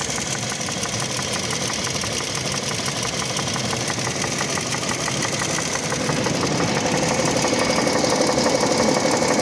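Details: Light regular knocking, about three per second, tied to crank speed, from the 1GR-FE engine of a 2007 Toyota Land Cruiser Prado 120 at idle; audible outside, not from the cabin, only at idle, fading as revs rise while driving.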